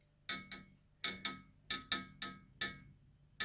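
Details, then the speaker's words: Sharp, dry ticks in uneven pairs and singles, about two or three a second, from a cold pipe that began knocking; owner suspects old pipes with micro-cracks; pipe ticking knock. "снимаю труба начала стучать"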